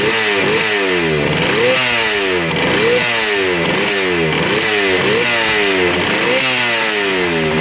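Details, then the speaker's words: 1975 Yamaha RD200 two-stroke twin, first start after 20+ years in a barn, 40:1 premix: crisp ringing note with revs rising and falling about once a second, both cylinders firing cleanly and hot; running healthy. "first start in 20 years both of them are both cylinders are running oh yeah yep both are really hot"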